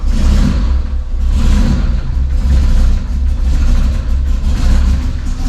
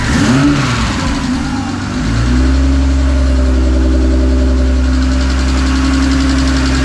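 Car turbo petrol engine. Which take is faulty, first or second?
first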